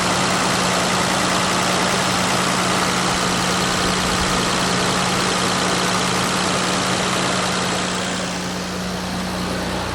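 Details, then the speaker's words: 1989 Toyota Land Cruiser FJ62 3FE engine idling after desmog/EGR delete: steady even idle, constant low drone, smooth airflow, no stumbles or misses; before it seemed stopped up, now breathes; normal idle. "I can kind of hear the the air moving whereas before I couldn't, you know, it was just felt like it was stopped up or something. But now it feels like it can breathe."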